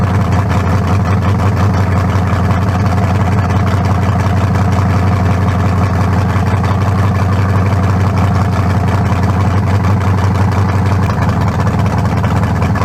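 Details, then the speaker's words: Newly built lower-compression turbo small block for a 1974 Nova, 40 over with forged pistons and 3.48 stroke: deep lumpy V8 idle, steady loping beat, no knocks or ticks; sounds healthy, better than the cracked-cylinder 388 it replaces. "yeah much better i say we got it it ain't got no down no double no almost better than the 388"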